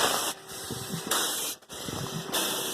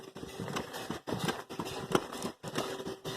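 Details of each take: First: Small portable steam engine warming up with drain cocks open: slow hissing chuffs about a second apart with a wet sputter and glugging in the exhaust, as condensate works out of the cylinder through the valve, exhaust passage and stack. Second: Small portable steam engine, hot, with drain cocks now closed: rhythmic chuffs at a steady beat with no knocking or clanking; it is running well.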